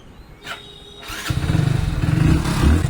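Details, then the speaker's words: Hero Splendor Plus BS6 single-cylinder started after a new genuine timing chain kit and fresh oil; catches after a kick and settles into an even, smooth idle with no tapping or chain rattle; the earlier timing chain noise is gone. "गाड़ी जो है एकदम मक्कन हो चुका है कोई sound भी नहीं है"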